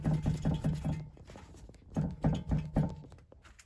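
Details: 2021 VW ID.4 Crozz Pro electric SUV at 17,000 km; quick hollow metal knocks, about four or five a second in two bursts, as the stabilizer link is shaken with a wrench: worn stabilizer link knock.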